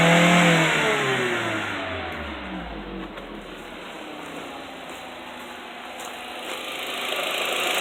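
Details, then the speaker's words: VW 1.8T (Beetle/Golf/Jetta/Passat) idling: faint light ticking from the timing chain tensioner at the cylinder head, which gets louder when oil is too thin to lubricate it. Revving raises oil pressure and quiets it, and the ticking returns at idle. "pero al hacerlo al ser muy delgado el aceite no lubrica bastante bien el tensor ahora lo hace más fuerte si yo aceleró este carro el aceite va a subir más rápido y va a tener una mayor lubricación y se le va a quitar el ruido"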